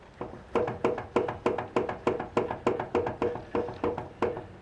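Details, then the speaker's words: Front wheel rocked side to side gives sharp hollow clunks about three a second from play in the outer tie rod end at the steering knuckle; control arm ball joint, wheel bearing and hub checked fine. "então nós temos uma folga no terminal da barra de direção na parte externa aqui que liga com a manga do suporte da roda"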